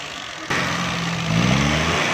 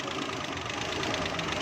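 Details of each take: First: Weak ignition coil supplying too little current on a Suzuki Mehran 796 cc running on gas: engine idles, won't take revs, stumbles with sharp exhaust pops when revved, causing loud backfire. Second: Suzuki Mehran 796cc petrol car idling steadily and evenly with a busy regular patter, no pops or misses, after ignition coil replacement cured its loud backfiring; normal idle.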